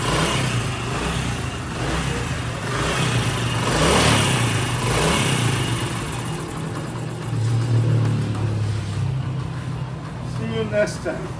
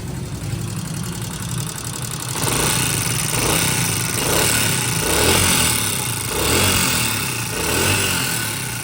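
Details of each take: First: Honda CD70 single-cylinder motorcycle after a tappet adjustment; a steady beat of about four pulses a second rises and falls evenly with throttle, with no top-end ticking. Running healthy. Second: Honda CD70 motorcycle single-cylinder idle with light, fast ticking from the top of the engine, typical of loose tappet clearance, before tappet adjustment.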